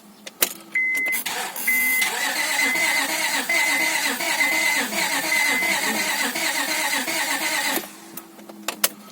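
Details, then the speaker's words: Honda Accord 2.3L (V6 mentioned), cranked after rear main seal replacement with fuel pump fuse disconnected: steady, even cranking for about six seconds with no firing; compression clearly present before reconnecting the fuse. "but it's obviously got compression so so after cranking the engine over a couple of times I just reconnected the ignition for pump fuse"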